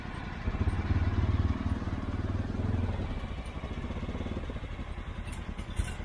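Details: Riding mower, jump-started: engine picks up and settles into an even, steady run with no misses or knocking; healthy.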